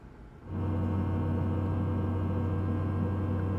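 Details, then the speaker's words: Tesla battery preconditioning after navigating to a Supercharger: quiet, then a low steady hum with a ringing drone that holds even as the battery is heated for faster charging; normal. "어 , 이건 예열 과정 중 에 나 는 소리 입니다 . 갑자기 슈퍼 차저 로 가는 경로 를 설정 하면 충전 전 에 배터리 를 최적화 하기 위한 사전 준비 작업이 자동 으로 시작 되며 , 이때 이러한 소리 가 납니다 ."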